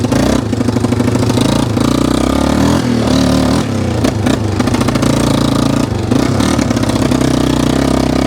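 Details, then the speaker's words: 1995 Yamaha Wolverine 350 ATV at steady mid/half throttle: uneven stumbling single-cylinder thumping with lumpy surges, running rich; idle and full revs fine; plan to drop the carburetor needle one notch. "when you really rev it she seems good but when you're like mid throttle half throttle it's definitely putting too much gas into the system"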